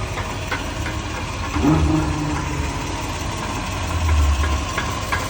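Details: 2001 Toyota Sequoia 4x4 V8 idling with an occasional dull, low clunk every couple of seconds; owner unsure whether transfer case or noise echoing down the drive shaft.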